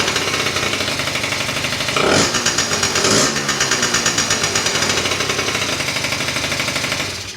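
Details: 2004 Kymco Super 9s 50cc liquid-cooled two-stroke scooter, after sitting over a year with a no-start, top end rebuilt: raspy buzzy idle with two sharp throttle blips returning cleanly; runs healthy, coolant still to be bled.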